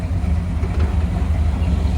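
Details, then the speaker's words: 1972 Chevrolet C10 after a front-end rebuild, new mini starter, wrapped headers and Edelbrock valve cover gaskets: low, smooth, steady idle with no ticking or exhaust puffing. Quiet and healthy; normal idle. "all right sounds nice and quiet everything's running well it looks good"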